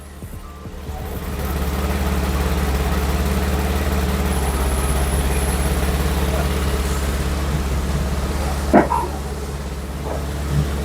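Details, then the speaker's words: BMW idling after belt refit: steady even low hum, no squeal or slap, rear suspension pump heard working and power steering restored, some workshop clunks; normal idle. "The back has raised itself, which means your pump is working. I can kind of hear it."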